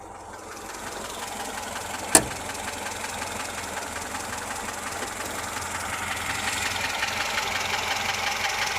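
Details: VAZ 2107 engine at idle: quiet with a faint, uneven tapping and no clear rhythm; a knock somewhere in the engine, cause unclear.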